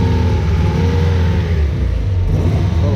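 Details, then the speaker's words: Nissan S13 with freshly installed built KA24DE short block; four-cylinder lopes unevenly through a light rev, running on three cylinders because number three injector is bad, replacement on order, one-cylinder misfire. "number three injector is bad we got a new one on the way we got I'm going to fix that real quick let you guys hear it no let them just hear how you know it sounds start to change yeah running on three cylinders but yeah all it counts it runs pretty good on"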